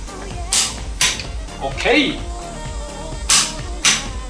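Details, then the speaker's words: TONE T4MN140CH-QL 1/2-inch preset torque wrench (140 N·m) tightening bolts diagonally at 110 N·m; crisp single metallic click per tightening, clean and sharp with no double snap; normal torque wrench click. "TONE's torque wrench clicks. The sound is very pleasant , and diagonally, with the strength of the knee, only one click at this time."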